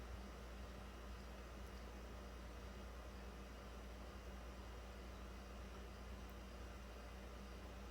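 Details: 2009 Toyota Corolla 1.8, after charcoal canister assembly replaced because the failed leak detection pump would not run: steady, even low electric hum with no surging or rattles as the pump pulls vacuum toward a target of about negative 39 during the EVAP leak test.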